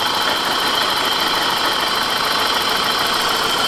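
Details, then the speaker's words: 1991 BMW E30 Touring petrol engine idling: light even tick about three a second from sticking hydraulic lifters, before treating with Marvel Mystery Oil. "you can hear the ticking and that's the valve sticking they go up and down"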